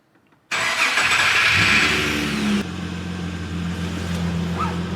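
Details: Holden VS Commodore ute after fuel system repair, running on very little fuel: starter whirs briefly, engine catches cleanly and settles into a steady, even idle with no misses or knocks. Healthy normal start.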